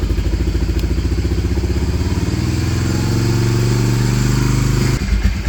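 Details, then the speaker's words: Honda Fortrax 300 ATV, previously a no-start, choke off, during idle adjustment: low, even putter with a steady firing beat, settling smoothly near the end; healthy idle. "Alright, now that we have that taken care of, that thing's running sweet."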